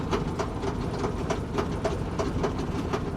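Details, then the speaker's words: Salvage auction vehicle showing 246,000 miles, fuel pump priming: rough running with a hard metallic bang about four times a second and no oil pressure; a thrown connecting rod, with a hole visible in the side of the block. "i knew it man i knew it it was running way too bad you could hear it banging and there's no oil pressure"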